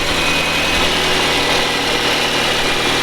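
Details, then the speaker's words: Toyota Camry 2AZ-FE petrol engine after timing chain replacement: smooth, even idle with no knocking, quieter than before; a hesitation on throttle remains, owner suspects the VVT-i valve. "стука нет вот этого бяка в общем-то он работает тише"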